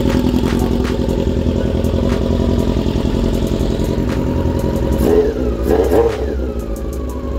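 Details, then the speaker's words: Honda CB-1 400 motorcycle engine after cam/head work and gasket replaced with a thick gasket plus sealant to stop an oil leak: steady even idle, light valve-train ticking, a couple of brief blips; engine quiet, normal idle. "Mukhang okay naman. Pinandar ko na. Sana. Tahimik na mga makina."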